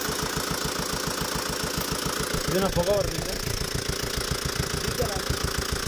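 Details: Tata Safari Dicor diesel after major service, started by mistake without engine oil plus slightly wrong timing belt, breaking five rocker arms: sharp steady clatter three to four times a second over rough idle.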